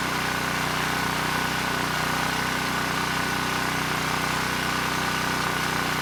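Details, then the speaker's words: ETQ 2700 W brushless-powerhead generator after governor calibration: steady even hum at constant speed, no hunting or surging; started slow, governor spring screw driven halfway in to reach 62 Hz, governor holding speed normally. "that was much better the engine started it was running quite slow so i increased the spring tension i drove the screw about halfway in got the engine up to 62 hertz and things were running just fine"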